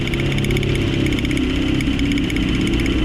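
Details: Suzuki APV at about 111,000 km, previously misfiring with heavy engine vibration and low power, after ignition high-tension wire/coil repair: steady, even idle with constant low hum, no misses or stumbles; now runs smoothly.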